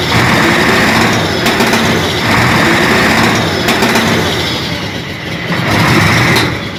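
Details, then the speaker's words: Hino Euro six-cylinder diesel truck, misfiring, slight smoke: rough running, exhaust pops like firecrackers when accelerator is blipped, only cylinders 3, 5 and 6 working. "जैसे ही थोड़ा सा accelerator देते हैं ना तो पटाखे मार दिया है और जैसे द फायरिंग की आवाज नहीं आती पटाखे की आवाज आती है"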